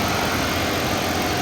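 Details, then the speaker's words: 2014 Dodge Charger PPV, 5.7 L petrol V8, 80,000 miles, idling: smooth, steady low rumble, no knocks; sounds good at idle and hard revs, though it rattles under light acceleration and may have a bad engine/transmission mount. "sitting right here on idle it sounds good when you rev it up hard it sounds good"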